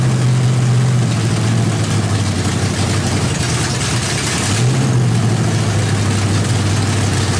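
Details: Freshly built 350 V8 with Thumper cam, open headers, start after priming: loud deep rumble at high idle, steady pulses, no knocks or misfires; sounds great, timing may need slight adjustment.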